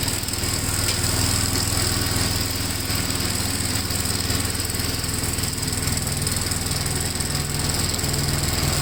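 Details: 1957 Gravely tractor during mowing test after air cleaner service; engine pulls steadily under mowing load with firm, even beat, no stumbling or hunting; running healthy.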